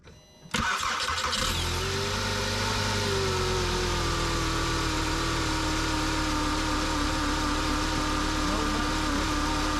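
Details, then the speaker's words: VW Jetta with P0491 secondary air insufficient flow, start heard from under the car near the air pump: engine settles into steady idle with no hair-dryer whoosh from the pump; secondary air injection pump inoperative. "when we start the car we should hear the air pump it should sound kind of like a hair dryer going and we don't hear that air pump in this vehicle"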